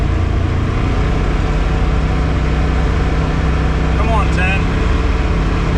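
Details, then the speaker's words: 2021 Polaris RZR Pro XP Premium, 32" System 3 XTR 370 tires, first run after Aftermarket Assassins S3 clutch kit with high-load helix: loud drone holding at about 8050–8150 rpm under load, not shifting right, lacking power. CVT clutch mis-tuned, low rpm. "the first run yielded about 8050 to 8100 rpm maybe up to 81.50 a little bit low you can actually hear it um seems like it's not shifting right"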